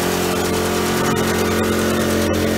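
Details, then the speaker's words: Aquapod petrol flush pump engine, warmed up with choke opened, throttle at medium speed during 10-minute filter rinse: steady even drone, no misses, knocks or rattles; normal running. "okay we're now operating the petrol pump and as you can see we've got flush water coming out of our flush we're running at medium speed"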